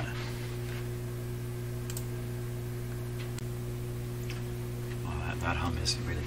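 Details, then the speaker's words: 1930s Canadian Rogers Majestic 4511 tube radio on test: a steady low supply hum under faint clicks, independent of volume; power supply filtering suspected weak, not confirmed. "is really quite distinct, independent of the volume. Almost certainly the power supply filtering is weak in the radio."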